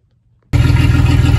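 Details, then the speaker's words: Nissan 280Z, newly turbocharged, after swapping the stock injectors (which ran lean up top and at idle) for cleaned used 280ZX turbo injectors: it starts into a steady, even low throb with no misses and fires cleaner while the AFRs are dialed in. "got the new ejectors in it sounds like it's all firing a little bit cleaner of the setup too and we are just dialing in our afr's right there"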